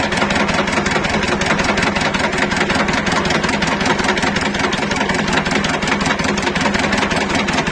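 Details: Shifeng SF 138-2 single-cylinder diesel idling without throttle, after a thin (about 1 mm) gasket was shimmed under the fuel injection pump: even, steady thumping, roughly 2.5 beats a second, with no hard knock; it now runs softer.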